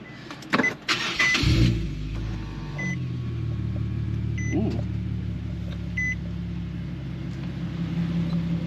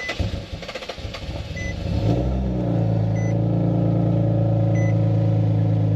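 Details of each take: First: Nissan VQ37 engine, first start after swapping ISR high-flow cats for Berk high-flow cats, retune still pending: brief crank, catches cleanly and settles into a steady, even idle with a deep exhaust note. Normal start and idle. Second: Nissan VQ37 engine with ISR high-flow cats, cold start: starter cranks, high cold idle with steady raspy ticking underneath; exhaust leak at the high-flow cats, to be replaced with Berk cats.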